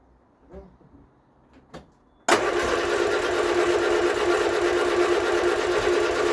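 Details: Vauxhall Viva HC barn find: steady, even starter churning at about three turns a second with no firing at all. A fuel issue was addressed earlier; the coil is to be changed next. Cranks but will not start, cause unconfirmed.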